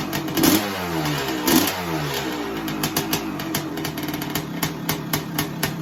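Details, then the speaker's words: 1985 Honda CR500 two-stroke project bike, hard to kick-start, indoors: blipped in uneven surges with a ragged, poppy settle between revs; it only runs on choke though the pilot jet is clear, and the tick-over needs adjusting. "it's so really running on the choke although the pilot jet is clear she needs the uh tick over adjusting really"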